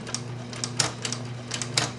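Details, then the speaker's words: Older Singer 6268 sewing machine embroidering from a cartridge via foot pedal: light uneven clacks over steady motor hum as the feed-dog-driven unit, with switches sensing travel, shuttles back and forth; normal operation. "And as you can see, you can hear the little clacking. This unit is all ran by the feed dogs, and it has little switches in there to sense how far to go back and forth."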